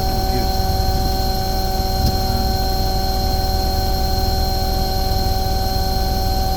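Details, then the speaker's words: Omni/Econo Heat/Morrheat waste oil heater burner after cleaning and nozzle service, at about 12.5: steady even roar and hum, no surging or sputtering; running beautifully, earlier smoke clearing. "that's actually really good it's actually running beautiful there it's just oh about 12 and 1/2 that smoke is clearing now"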